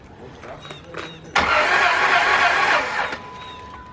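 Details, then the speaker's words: 2002 Dodge Stratus with a new battery that cranks but won't start: the starter spins the engine quickly and evenly for under two seconds with no firing. The mechanic suspects no compression and moves to check the timing belt, unconfirmed. "that sounded uh kind of like I a hear no compress no compression or nothing that's what exactly what it sounded like"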